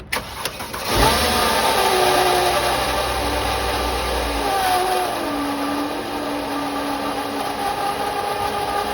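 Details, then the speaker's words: 2010 Mercedes W212 E350 3.5, about 95k miles: engine idles with a wavering, high-pitched screech and groan from the belt drive; a removed idler pulley's bearing was shot and suspected as the cause. "The bearing in here is shot. So I'm assuming this is what was making that really bad noise."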